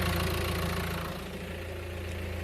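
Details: 2016 Mercedes A-Class at idle after clutch replacement (clutch made noise at idle when the pedal was pressed; leaking clutch master cylinder also replaced): steady, even idle with a smooth low hum, no rattle, knock or clatter; sounds healthy.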